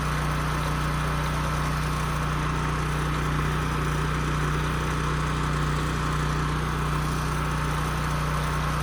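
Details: Husky portable generator that sat 5 years with bad fuel and a leaking gas tank, after carburetor cleaning, fuel-flow fix and a new governor spring, run outside: steady drone at constant pitch with no surging, output close to 61 Hz, governor holding speed normally.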